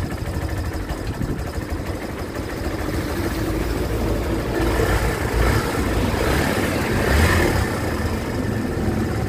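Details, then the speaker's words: 2023 Kawasaki Barako 2 with hard starting, carburetor adjusted to 3.5 (turns): slow uneven single-cylinder idle picking up slightly toward the end; idle (minor) set too low and still needs adjusting. "na-adjust na natin ng 3.5 to pero mababa ang minor nito i-adjust din"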